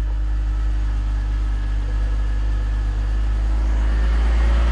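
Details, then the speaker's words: BMW E46 after a DIY manual transmission swap, first test in first gear with the rear wheels turning: a smooth, low engine drone with no whine, grind or clunk; normal. "the black the back wheels are moving"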